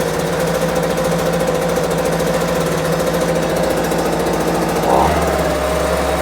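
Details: Homelite UT08572 small two-stroke pops rapidly and unevenly while the idle screw is adjusted, before a compression test; it won't settle at low revs and the note shifts, a rough idle.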